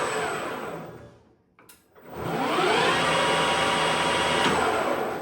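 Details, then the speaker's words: Harrison M300 lathe headstock with 2.2 kW spindle run from an inverter, oil splash bath with one litre of clear hydraulic oil, gears in good shape: smooth hum rising in pitch as the spindle spins up and settles, no knocking or gear grind. "You can hear just how nice and smooth that uh headstock runs. It's a simple oil splash bath inside, but it's perfect."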